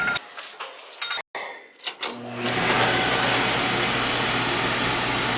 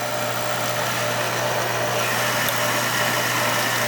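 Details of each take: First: Oil furnace/boiler burner after service with replaced transformer: a few clicks, then burner lights and settles into steady, even roar with low hum, firing cleanly. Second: Oil burner being restarted after service: steady burner roar over low even hum, no flame-out, while trapped air is bled from the oil pump.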